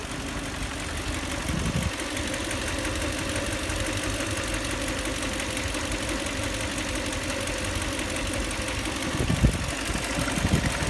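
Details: 2004 Lexus LX470, 2UZ-FE V8 at idle: a light, regular tapping knock inside the engine over a steady hum, heard most clearly at one spot. The owner rules out the valves; the source is still unknown.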